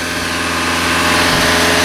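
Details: 1986 Dodge Aries K petrol engine, 63,000 miles, being bought after sitting; steady, somewhat fast idle with slightly uneven hum, high idle from several broken vacuum lines, no overheating or boiling.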